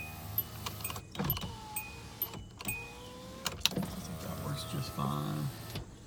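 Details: 2003 Hyundai Sonata 2.7 V6, 187,952 miles, engine not running due to broken timing belt: driver window motor gives a quiet, even whir as the glass travels, soft thud at each end; window works normally.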